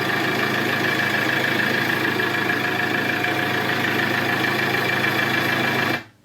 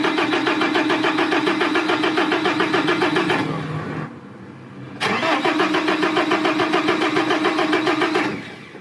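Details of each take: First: Iveco Daily diesel van idling steadily and evenly with no misses, then stopping cleanly, after the faulty ignition/starter switch that had stopped it starting was replaced; engine now starts and runs normally. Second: Iveco Daily van cranks steadily at about three and a half turns a second but never catches, pauses, then cranks again; long-standing crank-no-start that several workshops could not solve, caused by a faulty ignition/start switch.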